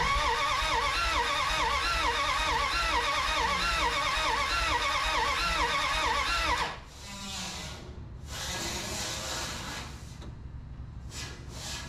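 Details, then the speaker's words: 1981 Dodge D150 cranks but won't start: steady cranking about three beats a second, stops without catching. Spark now present; only a little gas in tank (leaking fill hose); owner suspects no fuel up top and choke trouble. "I'm not getting fuel up there yet I don't think but we are getting sparked finally sure that choke is causing me some problems there"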